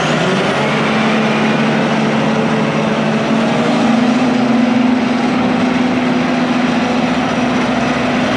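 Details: International IH 175C diesel track loader, long-sitting machine freshly serviced with fluids and filters changed, fired up. A steady, loud diesel drone at constant pitch with no knocks or misses. Normal running.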